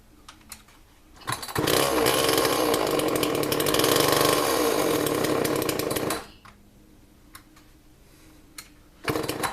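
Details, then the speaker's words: Homelite XL chainsaw, 1995–1996, 32 cc: screams at high revs for a few seconds, then dies as soon as the throttle drops; it won't idle. "said that it does not want to run right go ahead and like you start it up they don't run but it doesn't want to idle"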